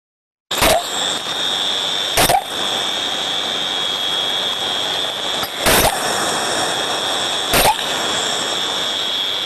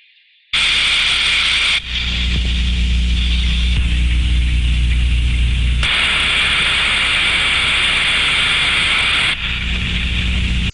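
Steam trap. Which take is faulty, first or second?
first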